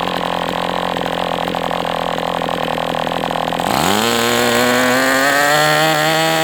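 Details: MDS 68 FS Pro engine during break-in at operating temperature, still tight: crisp steady buzz climbing smoothly to a higher even pitch and holding cleanly; running well, better than with the idle bar plug.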